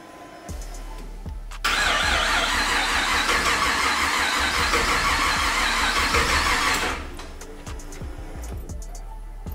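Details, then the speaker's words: 1959 Chevy Apache with LS3 on a new custom wiring harness, first key start, turbos not connected, fuel pump possibly mounted too high: steady starter cranking about five seconds with even compression pulses, never fires; cranks, no start. "Done something wrong. It's not working."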